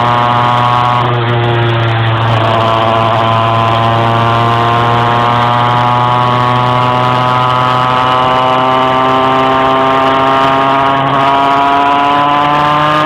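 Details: Engine struggling to climb in revs while driving: the drone holds at one pitch, then rises slowly and unevenly under load; hesitation under load, cause suspected but not confirmed.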